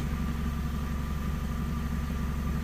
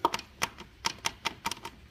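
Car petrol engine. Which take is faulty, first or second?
second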